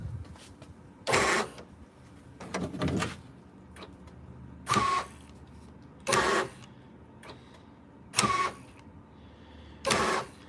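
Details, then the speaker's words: 1998–2003 Dodge Durango after installing a new door lock actuator: six short, crisp, even whirring buzzes about every 1.5–2 seconds, replacing old squealing units; normal door lock actuator operation. "yeah, this thing works."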